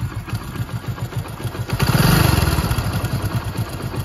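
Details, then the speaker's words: Hero motorcycle, single-cylinder idle: steady kat-kat ticking knock about four per second, following the firing rhythm, louder after the bike has stood and been ridden a little. Owner fears it may stall anywhere; source unconfirmed. "यह देख ो कैसी आवाज आ रही है अजीब सी cut cut cut cut cut"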